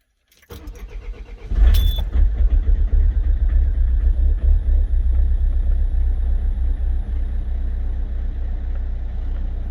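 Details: Citroen 2.0 HDI 138 bhp diesel that stopped and wouldn't restart with code P1210: brief crank, then catches and settles into a steady clattery idle, even beat about four per second, running normally.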